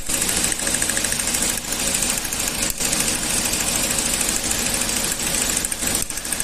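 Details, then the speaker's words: Toyota petrol engine running: rough uneven metallic rattle, pinging knock; tester shows current drops and misfiring from ignition current leakage, damaged coil output towers and plugs; also causes power loss and higher fuel use. "Tecleo fuerte en el motor. Y aquí nosotros vamos a verificar, ¿no?, con este equipo para ver la corriente estos cables. Y bueno, como se puede observar, hay caídas, tiempo de mal quemado y bueno, eso nos indica que hay una fuga de corriente."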